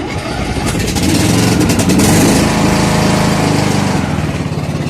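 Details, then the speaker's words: John Deere LA105 ride-on mower, 19.5 hp petrol engine, fairly new with only a few oil changes: quick crank, then it catches and settles into a steady, even idle with no knocks or misses. Healthy start. "And yeah, I might just start it up and we'll see how it goes."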